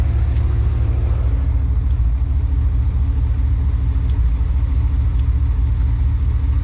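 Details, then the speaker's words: High-mileage 21-year-old GMT800 Chevy Silverado/GMC Sierra 1500 V8 just fitted with used long-tube headers: deep rumble with uneven, stumbling idle beat, a cylinder occasionally missing; misfire, owner suspects a bad spark plug boot, unconfirmed. "Sounds like one of them spark plug boots might be bad."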